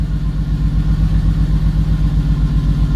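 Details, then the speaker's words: 1.5JZ engine build after trigger/crank-sensor reading problems: steady idle thump of about four pulses a second with the odd uneven beat. Slight misfire at idle; coil packs suspected, not confirmed. "well you have a slight misfire so it's probably one of the coil packs"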